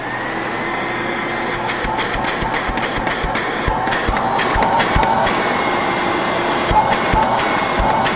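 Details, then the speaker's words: 1970s Brother XL-444 canister vacuum running: a thin high whine of constant pitch rides over a steady rushing roar. Owner says the motor bearings are a little dry. "Bearings are a little dry. I'll turn it on and off again one more time."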